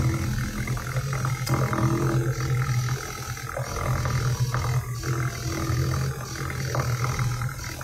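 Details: Kia Ceed GT cold start: petrol engine lumps and shakes at idle with uneven thuds and popping misfire, said to calm after 1-2 minutes; cause not confirmed, fuel pump pressure loss overnight suspected.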